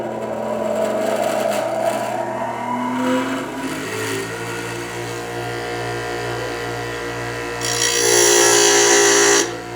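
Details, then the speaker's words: Harbor Freight 8-inch bench grinder with wide wheels (Bauer 3/4 HP 3600 RPM or Hercules 0.9 HP 2000–3400 RPM variable speed, which one not stated), grinding under deliberate load. A steady hum that keeps its pitch: the motor holds speed without bogging. "Now I purposely left that on there a little longer than what I would normally do, and that was so that you could hear that it keeps up. Even though I'm bogging it down while I'm grinding, the motor is strong enough to keep up with the grinding, which is actually awesome."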